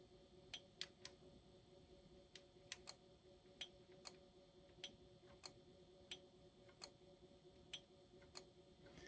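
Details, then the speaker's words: Sony TC-FX5C cassette deck after replacing record/play and Dolby board relays (Omron G5V-2-12VDC) to fix right channel dropout; crisp relay clicks when toggling Dolby B/C, switching healthy. "and yes you can hear the relays activating and deactivating"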